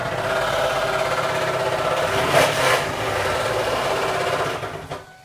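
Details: 2001 Ford Taurus SES: light rapid tapping knock about three per second over a thin idle that dies away, from the oil pan area; lower-end knock suspected, not confirmed.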